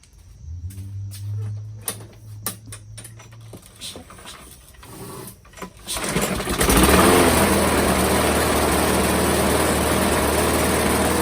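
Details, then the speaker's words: Craftsman 625 series mower, Briggs and Stratton engine, after replacing a broken plastic intake; a few pulls, then it runs unevenly, labouring; owner suspects timing or a bad seal. Flywheel key found misaligned. "Sounds like the timing might be off. Either that or it's got a bad seal in there."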